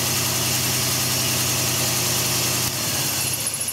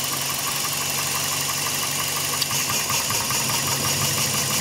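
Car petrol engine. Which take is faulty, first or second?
first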